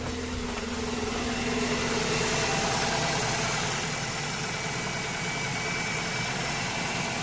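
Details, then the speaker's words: 2.0 car engine jump-started with a Profiline booster after the battery read 9.8 V: starts without problems and holds a steady, even idle about four beats a second, no hunting or missing; normal idle on alternator charge. "є запустився без проблем все працює"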